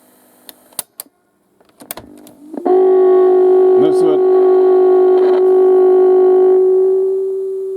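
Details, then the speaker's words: Ferguson/Thorn cassette player that was drawing high current, running on AC supply after repair: the test tone drops in pitch as the volume rises. A power supply sag is suspected; there is no mains hum, so the capacitors are thought unlikely. "the pitch changes that turn the volume up so we've got a fair power supply sag somewhere"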